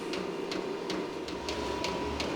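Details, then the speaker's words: Small Vevor diesel heater in a cold workshop, lighting after long fuel-pump priming through long lines: low steady rumble with faint regular pump ticking about every 0.35 seconds; exhaust already warming, combustion normal. "I can hear it rumbling now it's definitely heating up in there yeah the exhaust is already getting warm"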